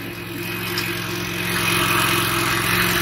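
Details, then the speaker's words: 2015 Toro Recycler 22-inch mower after auto governor/oil slinger replacement, self-propel drive pulling; small single-cylinder engine steady with an even note, slight load rise, sounds healthy and runs as it should. "But it sounds good now. It's running exactly the way it's supposed to."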